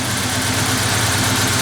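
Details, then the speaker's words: 1988 Ford Ranger, cold, after intake cleaning, ignition timing slightly off from backfiring: idle drops to about 800 rpm instead of a 1,500–2,000 rpm warm-up idle; a loud, low, shuddering rough idle that won't settle. "It just tries to drop it right down to the 800 or so, and of course it's not able to maintain that when it's cold. And even now, as you folks can probably see, it's running a little rough."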